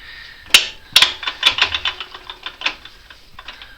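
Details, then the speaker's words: Newly installed differential locker in the 4x4 "Moose", with the wheel turned by hand: light, uneven bursts of ticks as the locker catches and slips. It slips in reverse but not forward and only slips if double-jerked; cause unknown. "There, I can hear it slip occasionally. There, I can get it to slip in reverse, but not in forward."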